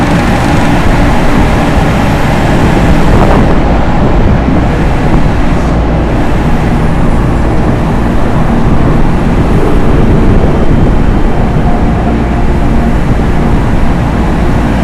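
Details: Loren Cook 100 ACEM rooftop commercial exhaust fan after motor replacement, run at full speed then turned down: steady even whoosh of moving air with no rubbing, squeal or knocking; normal running.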